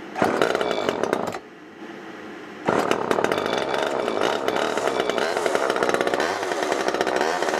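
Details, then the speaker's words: Garbage-picked old Homelite XL two-stroke chainsaw after storage: screams at full throttle, drops to idle, and revs again unevenly; the carburetor later cleaned itself out as it cut more hardwood. "it turned into soil but it did fine more I cut with it more that carb cleaned itself out"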